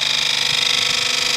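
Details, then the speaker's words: 2000 Ford F350 7.3L PowerStroke diesel, 165K, about 35°F, injector buzz test before Archoil AR6200/AR9100 treatment: a sharp, raspy buzz pulsing about 28 times a second. Four of eight injectors buzz poorly because their upper oil-side metal parts stick (stiction). "now you hear how four of them really don't buzz right that's because on the upper end of the oil side of the injector it's not moving the injector solenoids are trying to actuate the injector and Buzz it but the parts on the upper part there uh the metal parts are sticking"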